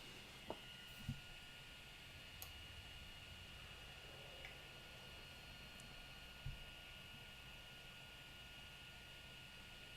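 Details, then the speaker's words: 3D printer after SKR Mini E3 v2.0 board upgrade on Marlin 2.0 firmware: faint steady fan hiss and soft high whine with the odd light tick while homing; stepper motion much quieter and smooth compared with before. "hey there it goes see how quiet it is you can still hear it but it is much quieter than it was before"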